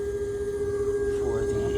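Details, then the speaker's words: Twin-turbo Audi R8, steady thin whine held at one pitch over a quiet cabin rumble; the intercooler pump, mounted a little loose and floating, is whining. "oh and you can hear right now um that whining I don't know it just happened to my video but I was coming up here to show you that sound you're hearing is the um"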